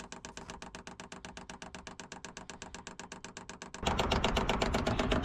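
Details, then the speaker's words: Cheap Chinese diesel heater in Peugeot Boxer van, fuel pump priming long line from van's tank, filling filter to purge air. Steady crisp ticking about four per second, then louder running noise; pump clicking normally. "So I'll just set that going. You can hear the fuel pump clicking away. I might invest in a silent one,"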